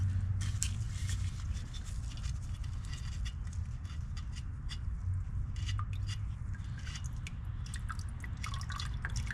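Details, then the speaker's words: Nissan Skyline GTR R32, rarely driven in winter, catch can drained during oil change: short trickle with scattered drips, never steady flow; only small amount of condensate, smelling of ethanol. "Alright, so now we're going to go ahead and drain the catch can. As you can hear, there's just a little bit in there. It's not too bad."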